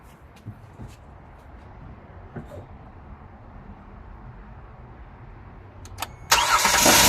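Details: Kia Sorento restarted after a cold-start timing chain growl: quiet, then the engine catches and fires cleanly with no growl or rattle; growl blamed on the timing chain tensioner bleeding oil pressure overnight.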